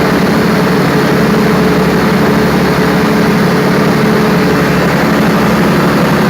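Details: Perkins 4012 diesel after general overhaul, pre-lubricated before start, during load testing; loud steady drone with an even low beat and no knocks or rattles, pulling its load smoothly and healthy.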